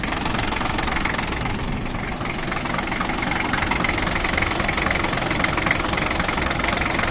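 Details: 1988 Toyota Land Cruiser 60 Series with a 2H diesel: steady idle clatter about three beats a second with a slightly uneven pulse and bluish-white smoke at the rear; teardown found a cracked cylinder head.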